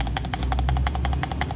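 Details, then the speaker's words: Vehicle with a worn, loose outer CV joint: sharp, fairly regular clunks about every fifth of a second over a low rumble from underneath, a knocking heard during turns; worn outer CV joint, check and replace if bad. "यह losing इसके अंदर काफी ज्यादा आ गई जिसकी वजह से गाड़ी के अंदर आवाज आ रही थी"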